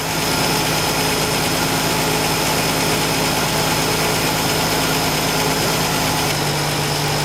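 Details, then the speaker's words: 1965 Ford Falcon inline six with EFI, warmed up, suspected valve tapping: a smooth, even hum with a steady low note and no ticking from the top end; the tapping was probably imagined, normal idle. "So basically, we don't know if we ever heard tapping. I believe that it was all a figment of our imagination."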